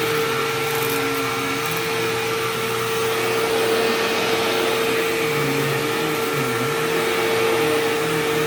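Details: Sharp Twin Energy vacuum cleaning living room: constant piercing whine at one pitch over steady motor rush; owner notes it faded after running a while and partly returned after shutoff, cause unknown.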